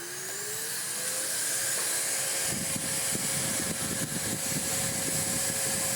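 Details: Restored Electrolux D820M (Lux 1 Royal) vacuum on minimum power: motor spins up to a steady high whine with strong airy rush and no rattle or scraping; motor running smooth and healthy.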